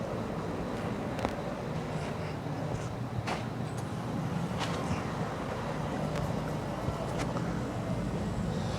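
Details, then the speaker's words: 1968 VW Type 3 after dual 34 carb conversion, key on: low steady electric fuel pump hum with a few clicks, building pressure; regulator working, carbs not leaking down the throats; normal priming. "hear the pump taking up pressure."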